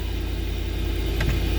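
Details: Truck, crank-no-start with no fuel pump sound, now running after a module fix; short, even low engine rumble with no knocks or misses, sounds healthy.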